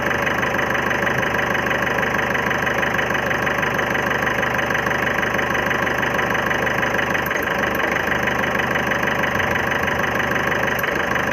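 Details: 2011 Ford Figo diesel engine at idle: a sharp knock at about three per second with an uneven, missing beat, so the engine is knocking with a misfire. The problem is tied to an injector service; the cause is suspected, not confirmed.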